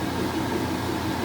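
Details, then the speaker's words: Vintage three-speed Maytag washer in rinse/spin, owner thinks not in highest speed: smooth, constant whirring rush with no thumping, banging or scraping; drum spinning evenly and healthy. "it's doing the rinse slash spin now this is a three speed unit so this doesn't i don't think it kicks into the highest gear"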